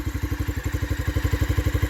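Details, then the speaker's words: 1986 Honda XL600R single-cylinder RFVC engine idling after cam chain tensioner replacement, after a few miles: even thumping at about eleven beats a second, purring with no top-end ticking noise; normal idle. "But listen to that motor. She is purring like a kitten."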